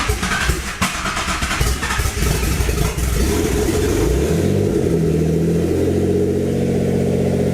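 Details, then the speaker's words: Built Greddy twin-turbo (18G) G35, first start after fixing a fuel leak: cranks, catches, revs flare, then sag and hunt and it keeps dying. AFR climbs very high; running lean and stalling from low fuel pressure. "Still dying. Still, AFR is getting super fucking high."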